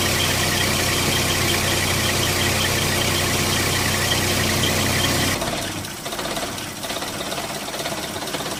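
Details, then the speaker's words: Engine that ran rough after a mass air flow sensor cleaning: idle lopes unevenly with stumbles and dips before dropping away; rough idle, cause unconfirmed. "can probably hear it a little bit the stumbling engine sort of our own well it's a strangest thing"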